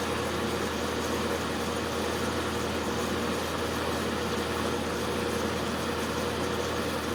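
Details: Magic Chef dehumidifier: steady low hum with constant mid tone, compressor running evenly; it shuts off about every two minutes, restarts and runs two more, repeating until unit is turned off; short cycling, cause unknown.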